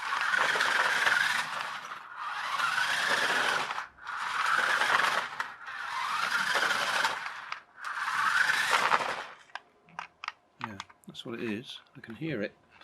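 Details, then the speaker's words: Toy push-along car converted to radio control on a 27 MHz receiver and 2S battery: five rough grinding bursts with scraping squeal, then stuttering clicks as the 3D-printed replacement pinion slips and jams in the gearbox. "yeah doesn't sound happy does it"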